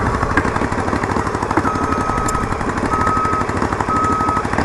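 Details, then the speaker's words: Yamaha Virago XV920 café racer, V-twin idle: loud sharp irregular pops and cracks, plus an unidentified clicking. Backfiring, with owner believing the carbs need syncing. "Backfires a lot. I don't know if you guys can hear it or the bike, but man, it's fucking loud."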